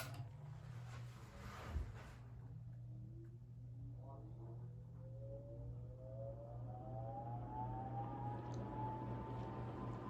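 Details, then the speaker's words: Antique Emerson 47641 48-inch ceiling fan from the 1920s, speed coil from a 73648 desk fan, started on high: low steady hum with tones sweeping upward as it spins up. Normal motor harmonics during startup. "has some crazy motor harmonics getting up to speed"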